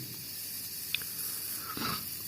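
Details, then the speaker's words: Steady quiet high-pitched hiss of pressurised water escaping from a burst hot water pipe exposed behind bathroom tile, before elbows were welded in repair. "Evet bakın kaçağım burada maşa şöyle görüyorsunuz sesi de geliyor"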